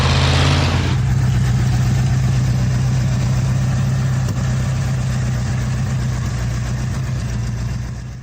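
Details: Junkyard-rescued 1970 Ford Torino GT Fastback V8, first start in decades, oil pressure 30 to 50 psi: brief rev then steady even low idle, no knocks or ticks; normal idle.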